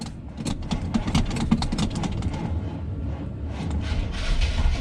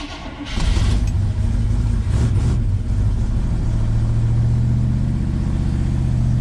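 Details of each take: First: 1976 GMC C15 Squarebody, abandoned in a pasture: slow, labored, uneven cranking that never catches. The weak battery can't spin the engine, and it later runs after a charger boost. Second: 1976 GMC C15 Squarebody V8, long-abandoned, after battery charger boost: short crank then a deep, steady rumble; normal start and idle, choke needs some adjustment.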